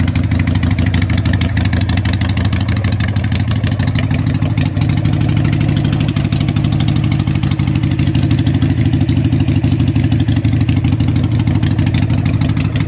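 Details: Harley Sportster 883 street tracker build, start-up with loud exhaust pipes for early Sportsters on a modified crossover bracket; the builder may need to rejet the carburetor. A steady, loping V-twin idle with an even beat and no knocks, ticks or misses. Normal idle.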